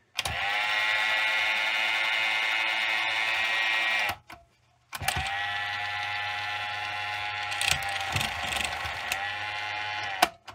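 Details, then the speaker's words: Johnson OK-33 AC-powered Beta cassette rewinder: high, busy whirring gear noise runs steadily, cuts out briefly, then spins back up; noisy gear train but it works and has lots of torque. "but it does work and has lots of torque."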